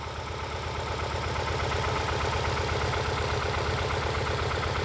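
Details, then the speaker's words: 2011 Ford Escape 2.5 L with P0301 cylinder 1 misfire code, idling just after start; uneven, lumpy beat with a regular stumble in the exhaust pulse, misfiring badly; cylinder misfire. "So unfortunately the battery died on here, so I don't actually have a misfire code stored in here right now, but you'll hear as soon as I start it up, it's misfiring badly."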